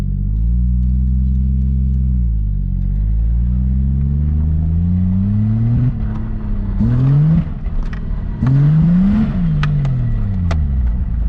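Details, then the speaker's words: Lexus IS300 with 2JZ-GTE single-turbo swap and six-speed, fuel system replaced, new OEM coil packs fitted; under throttle near the driveway, engine surges and stumbles, still cutting in and out, check engine light comes on. Cause unclear; owner may test the igniter. "yep it's still doing it is still cutting in and out try this again"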